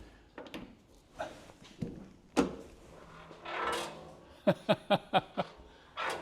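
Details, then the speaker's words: Mercedes W108 trunk lid opened: run of short sharp squeaks and creaks amid clunks from dry, unlubricated trunk hinges and spring ends, typical of old Mercedes trunks. "You know, now you know what I'm talking about. That annoying sound is almost every old Mercedes trunk."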